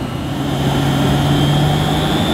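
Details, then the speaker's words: Refurbished Hoover S3716 Sensotronic 1000 vacuum cleaner running with an old dirty bag: a steady, even motor hum with a constant high whine and no wavering or rattle. The motor sounds healthy. "Well, that sounds fine. Smells nice as well."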